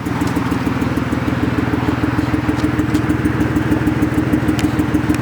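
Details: BMW E36 petrol engine idling unevenly with a lumpy stumble about twice a second from a misfiring cylinder; checked by pulling spark plug/unplugging coils one at a time.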